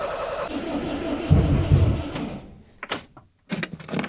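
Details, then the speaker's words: Fiat Panda 4x4 after removal of its turbo kit, ECU and inlet manifold, previously hard-starting with hunting idle: cranks about two seconds but never fires; owner thinks plugs are fouled by too much fuel, root cause unknown. "Yeah, today it won't run at all. And this just seems to be evolving every day. I don't know what's going on. I'm pretty sure it's down to the spark plugs being fouled by too much fuel."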